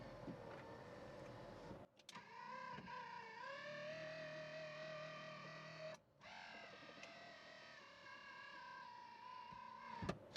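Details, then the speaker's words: 1974 DeTomaso Pantera GTS with 427ci Ford Racing V8: power windows running up and down, steady whirring motor hum rising and settling as the glass travels with brief pauses between strokes; normal power window operation. "Courtesy lights work, the windows go up and down."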